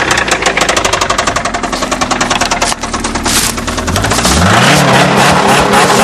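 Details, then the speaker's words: 1994 Saturn SC2 1.9L engine: loud, fast, uneven deep internal knocking that fades as revs change while a whirring rise takes over; serious engine knock. "Yeah, that's bad. I don't know what's louder, the knocking or his off."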